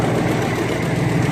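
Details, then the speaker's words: Ford 4.6 Triton V8 after removing a broken spark plug, wd-40 burning off: steady smooth idle with a faint quick puffing tick on the low rumble; small exhaust manifold leak, manifolds need doing. "you can see it's real smooth now I mean I got a little exhaust leak"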